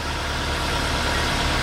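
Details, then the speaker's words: 2012 VW Jetta after water pump replacement, engine warning light on: steady, even, smooth idle hum with no knocks or misses; no coolant leak found, belts and pulleys working well, normal idle. "not bad we want we don't want there we want there in there we want to see in there even no leak no leak okay"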